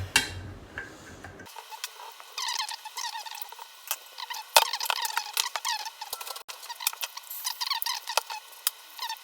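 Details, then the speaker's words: KDK ceiling fan motor spinning with high, chirping squeaks from dry, worn bearings. "here's the kdk motor so this is the squeaky one that you saw in that video"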